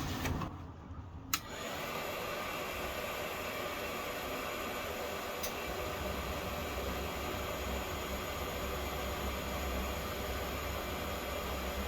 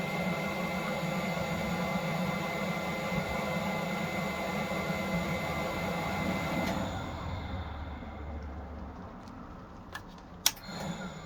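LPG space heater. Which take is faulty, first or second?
second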